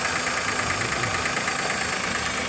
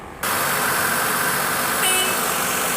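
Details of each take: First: Maruti Suzuki WagonR K-series with inbuilt CNG kit, idling: smooth on petrol, but on switching to CNG an uneven lumpy beat with skipping pulse; cylinder misfire traced to faulty CNG injector, no check light. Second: Maruti Suzuki WagonR K-series with CNG kit, just started and running on petrol before switching to CNG: steady, even, smooth idle. The misfire appears only on CNG, and a faulty CNG injector is suspected.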